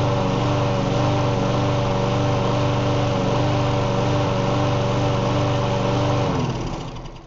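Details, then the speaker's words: Self-propelled Bolens walk-behind mower, just got running after sitting outside: steady even buzz for six seconds, then shuts off and coasts down cleanly; runs fine, needs new air filter and cables. "I just got it running and I got the self-propelled to work. It runs pretty good."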